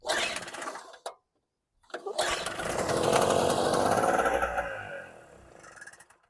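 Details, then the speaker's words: WildFire WF1200 2-stroke generator (50:1 mix), long stored, aftermarket petcock fitted: pull-start attempts then rough, uneven running that surges and fades out; owner suspects it is not getting fuel, cause not confirmed. "sounds like fuel not getting fuel"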